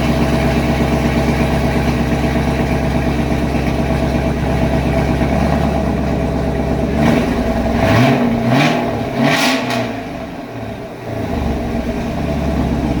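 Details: 2019 Camaro SS, 6.2L direct-injection LT1, after stuck-injector repair and oil change: deep, even V8 idle, then a few sharp clean revs that drop back smoothly; runs healthy, though throttle response seems slightly reduced.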